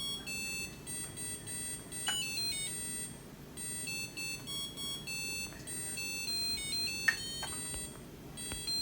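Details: Samsung DW80R5060US dishwasher at the end of diagnostic mode after all 5 tests pass and the door auto-releases: a bright run of high electronic notes plays as a short tune; normal end-of-cycle melody, OT code shown.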